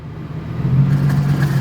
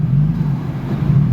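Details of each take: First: 1975 Toyota Celica with a swapped 3SGE BEAMS engine: even low hum at idle with nothing grinding or squealing, running cleanly with the AC off and no compressor noise. The AC compressor, when engaged, seized and killed the engine. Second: 3SGE BEAMS-swapped 1975 Toyota Celica: deep labouring rumble, idle sagging and nearly stalling each time the AC switches on, gone with AC off; seized AC compressor dragging the engine.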